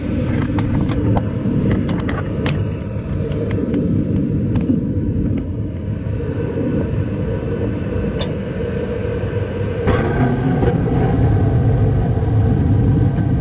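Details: 2012 Bryant Legacy Line gas furnace, first startup of the heating season at 50°F outdoors, microphone placed at back to hear blower: steady low rumbling air rush, even tone, no knocks or rattles; normal furnace operation.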